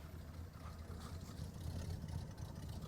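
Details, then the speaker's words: 1977 Dodge Adventurer V8 on a new carburetor, fed by a temporary fuel line, starting immediately after sitting and idling smoothly with a low, even rumble and no knocks, misses or ticks. "it just fired up yeah it just started immediately immediately started up like it has not been sitting at all wow that that was incredible and it's just sitting there idling"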